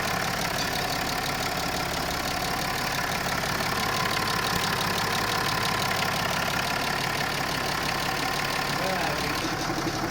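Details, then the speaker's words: 2011 Range Rover Sport L320 diesel, first test run after rear timing (high-pressure fuel pump) belt replacement, coolant refilled and bled: steady, even idle clatter without knocks, misses or hunting; normal idle. "Reassembled everything, put back the fan, all the hoses, we refilled the coolant, we bleed the coolant system here, here and here, and the engine is running nicely. This is the first test run."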